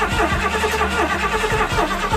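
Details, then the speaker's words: 1979 Ford F-150 Ranger XLT, 351M V8, restoration start attempt; starter cranks the engine in an even chug, about three beats a second, but it never fires. Crank, no start; owner suspects another electrical issue. "that's not starting hardly surprising but we'll keep working at it"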